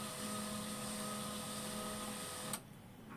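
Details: HP 1005 printer that initialized continuously with a noise from the scanner motor: with the inner motor cable removed, a steady even whir with a faint high whine, then a clean stop; initializing properly without the noise.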